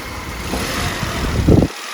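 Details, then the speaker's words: Jump-starting a small-engined BMW with an Auxito AJ01 3500A lithium jump starter after removing the negative battery terminal to simulate a flat battery: engine catches quickly, short rev burst, then steady even idle; clean healthy start, unit still at 100%. "terminal yeah that that works no problem yeah and according to that it's actually not even dropped it down from 100%"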